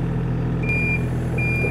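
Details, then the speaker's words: Excavator at sawmill sorting logs: single high beep about a third of a second on with longer gap, repeating over low diesel rumble, sounding whether moving forwards or backwards; travel alarm beeping. "it doesn't matter if I go forwards or backward it beeps there's probably a fuse or something that I can pull to get rid of that noise"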